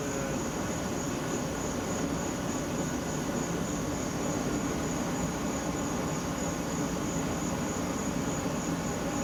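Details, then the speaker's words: Homemade propane burner, first design: steady gas hiss under rough, fluttering roar of a ragged flame; suspected causes include small 1 1/4" air intake, asymmetric intake, too-long 8" pipe, bell, threading, orifice size or position. "Not as neat of a flame, it's kind of ragged, and there's a couple things it could be."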